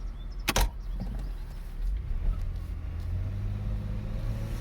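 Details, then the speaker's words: 2009 Chevrolet Impala test drive after replacing front wheel hub bearings (driver's front had growled): smooth low road rumble, no grinding or growl; bearings quiet and healthy. "yeah baby listen to that no more noise that leaves me with one more wheel bearing to change but that one's not making any noise"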